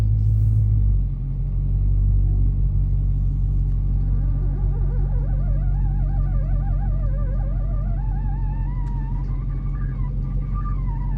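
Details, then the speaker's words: Car creeping slowly in reverse while cold: a wavering, warbling groan seeming to come from under the shifter, absent in forward and once warm. The cause was the driveshaft carrier bearing, whose boot had a defective, separating rubber. "When you put it in reverse and just go back slowly, there's a sound. It sounds like it's coming from underneath the shifter."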